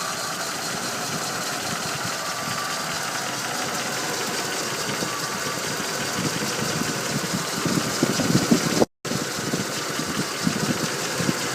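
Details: Ford Windsor 5.0 V8 idling: busy, faint tapping mixed into the rumble with no clear steady beat; possible engine knock at idle, cause unknown.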